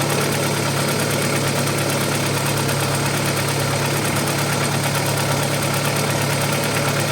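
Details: Audi 80 B4 2.0 petrol, cold after fixing oil-pressure gauge adapter leak and air lock: steady idle with light fast tapping about three a second; owner concludes it is likely a hydraulic lifter.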